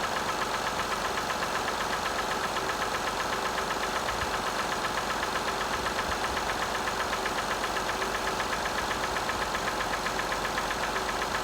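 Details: 2005 Acura TL petrol V6 at 172,300 miles, cold start: steady knock about four times a second at idle, swelling briefly when revved.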